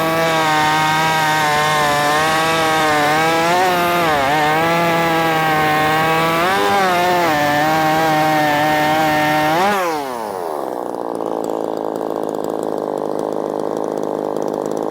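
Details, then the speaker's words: Ported Poulan Pro 4620 chainsaw with an 18-inch bar, after re-tuning the carburetor low and high screws: high, clean two-stroke scream at full throttle, pulling into the cut and holding revs without bogging; strong, healthy running. "Killer little saw. Killer little saw. I mean, it's just a bang up good little saw."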